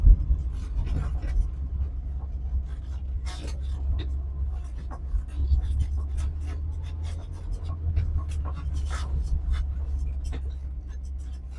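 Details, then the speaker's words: 1974 VW Passat B1 with a swapped-in VW GTI four-cylinder petrol engine, driven hard after an intermittent misfire: now running lumpy and uneven on only three cylinders, a stumbling, off-beat low rumble. "So probably what was ever was giving us that intermittent misfire is now uh bit me on the ass giving it some beans. I'll pull over in a minute and see what it's doing. Yeah, we've only got three cylinders."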